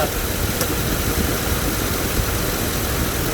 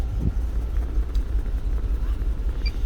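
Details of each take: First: 2008 GMC Yukon 5.3 V8 after repair (misfire codes, burnt fuse feeding the injectors replaced): steady, even idle with a low rumble and no stumble or miss. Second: 2008 GMC Yukon 5.3 V8 idling with a deep, lumpy, stumbling beat and total misfire: codes for cylinders 4, 6 and 8, check-engine light flashing, truck will only do 20–30 km/h; injector power checked first.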